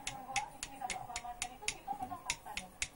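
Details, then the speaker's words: Yamaha Soul GT 125 under overhaul, crankshaft removed from the cases: the connecting rod, rocked and tapped by hand, gives sharp metallic "krek" clacks about four a second. Worn big end bearing with excess play; the rod is to be replaced. "Stangnya kena. Udah bunyi krek krek krek. Dipukul bunyi krek krek krek krek. Oke, ganti stang pistol."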